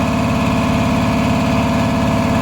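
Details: Repaired 400V V-twin air compressor, about ten years old and lightly used, formerly not making pressure: even rapid pumping thump and steady drone, no clatter or air leak, climbing from 100 toward 120 psi; running healthy.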